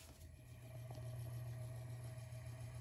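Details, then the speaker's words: Restored Emerson 45041 antique DC longnose 56-inch ceiling fan, freshly oiled, running at low speed drawing about 0.29 A, 33 W. A low, even hum with a soft commutator brush shush and no bearing rumble or ticking: a healthy motor. "i don't really hear any bearing noise i just hear the shush of the commutators"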